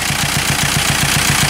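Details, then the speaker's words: Power steering pump pulley on the Beetle has a bad wobble, giving a low rhythmic thumping pulse about seven times a second at idle; tensioner looks good, and it almost sounds like a hose is off, though pressure builds boost. Cause suspected, not confirmed. "power steering pump has got a bad wobble. The tensioner looks good. It almost sounds like there's a hose off on the engine."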